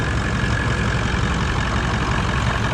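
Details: Toyota 79 Series Landcruiser 1VD diesel V8, ~270,000 km, idling after cooldown from 40°C+ heat: low rumble with a constant faint whine from the front; pulley not moving under lever now, but confirmed worn water pump bearing.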